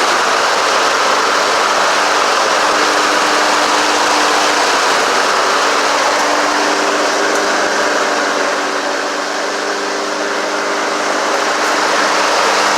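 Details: Honda HRX217 lawn mower running fast and even after drive belt change, new recoil and carburetor clean, with a steady buzzing note and no misses or surging; runs clean and healthy.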